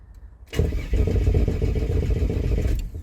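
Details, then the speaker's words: Turbo Ford AU Falcon ute on a purchased flash tune, starter fed by external battery via jumper leads: brief crank, fires into lumpy run that sags and dies within seconds, dies instantly when revved; suspected low fuel rail supply, stale or unbled fuel, or tune problem. "See how it's not starting instantly? It's almost like there's not no fuel in the rail. Like not enough. And I'll try and give it a bit of rev and it instantly just dies."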